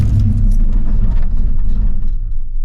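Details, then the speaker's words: Blueprint 350 V8 in C10, driven until hot, idling too high, timing set high, poor vacuum; after key-off a low uneven rumble keeps running then dies over seconds, dieseling run-on, cause suspected not confirmed. "Hear that? It's dieseling."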